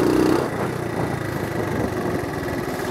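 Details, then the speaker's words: 1970 Honda CT70 Trail 70 ridden around the yard, shifting first to second with automatic clutch; small single putters steadily, beat dipping and recovering each shift, no knocks, normal running through gear shifts. "maybe you can hear when I shift ears first first second"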